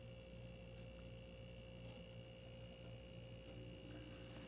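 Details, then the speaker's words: Frigidaire LFPH33M4LM mini fridge that stopped cooling, just after fitting a new starter relay on the compressor terminals: steady low hum, no clicking or cycling, compressor started and running normally. "oh i can actually hear the compressor humming now so it started up it's running"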